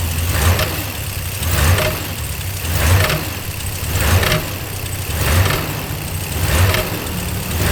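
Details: Dodge Ram 1500 on a cold morning start, after work on the pedal sensor, air temp sensor, air filter and throttle body: engine hunts about every 1.2 seconds and will not hold a steady idle.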